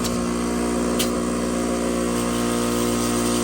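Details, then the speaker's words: Fluoromizer 3500 refrigerant recovery machine that previously didn't work: steady compressor hum, no knocking or grinding, 4.5 A (spec 5.6 A), vibrating and building good pressure; normal running. "Sounds healthy. Only 4.5 amps. You can hear it vibrating away, pumping like a little dog."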